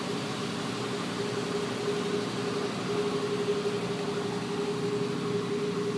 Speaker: started squeaking yesterday.